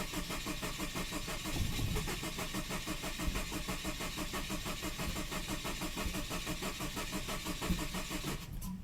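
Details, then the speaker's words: Saab 9-5 cranking without starting, with high throttle position reading (about 20%) and a known bad sensor: starter turns steadily about three times a second with faint sputters, unburned-gas smell at tailpipe, never catches. "and it spits exhaust at the tailpipe which smells like unbar unburned gas so apparently it doesn't ignite uh but as you can hear it's it's it's sputters or whatever it's called Uh but yeah refuses to start up"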